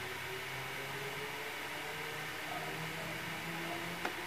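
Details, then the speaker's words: Sony Vaio laptop that sometimes powers on, no voltage at BIOS pins 7, 8, 3; with processor and one memory module removed, cooling fan spins flat out as steady airy rush. Cause unconfirmed. "agora liga roda muito forte o cura e depois de um tempo ela desliga isso só porque eu retirei o processador"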